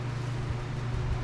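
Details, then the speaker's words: John Deere LT190 riding mower after replacing the transmission pulley that caused squealing and jumping: steady, even low drone, no squealing or grinding, drives forward and reverse; normal running. "and we'll fire it up here as you can hear it's is a lot quieter now and it actually drives forward and backward just"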